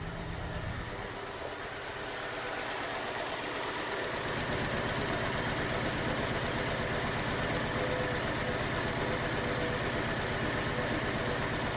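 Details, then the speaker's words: 2011 Ford Ka 1.2 with P0203 code, idling after codes were cleared and the airbox refitted: lumpy idle with an uneven thump about three times a second under a steady drone. Misfire later traced to a reassembly mistake. "so we're going to start this thing and is running like crap it's really running bad running poorly yeah it is"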